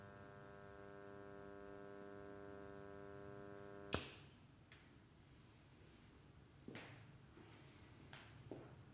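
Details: Steady low mains hum with a ladder of overtones for about four seconds, cutting off abruptly, heard at the input and output.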